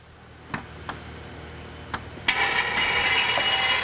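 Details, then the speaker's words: Topsider oil extractor pulling engine oil: a few faint ticks, then a sudden steady hissing slurp at about two seconds as it draws air, meaning the sump is empty. "And you'll say, okay, I'm done. And you'll know that it sucked all the oil out of your pan."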